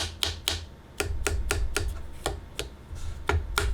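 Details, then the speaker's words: Moza Aircross 2 camera gimbal: the battery clicks in the plastic handle when held and the lower part wobbles. Sharp, uneven plastic clicks about four a second as the grip is squeezed; loose battery pack. "Послушайте, как батарея щелкает, когда вы держите ее. Нижняя часть ходит ходуном."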